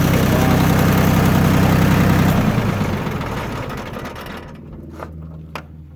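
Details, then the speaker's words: Yanmar F16D 4x4 diesel compact tractor, all fluids changed with new antifreeze and oil filters: steady, even diesel clatter with a low regular beat, no misses or knocks, fading out toward the end, no smoke; healthy idle. "No smoke. Engine sounds good. All the fluids have been changed."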